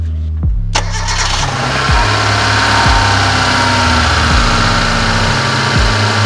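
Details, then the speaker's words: Fuel-injected car on a cold start: it cranks briefly, catches, then holds a fast but steady idle with no misses. At about 40°C coolant the RPM is still high. Normal cold-start fast idle. "nah ini terdengar sekali RPM sangat tinggi ini nanti bisa kalian lihat dari titik 40 derajat RPM masih tinggi"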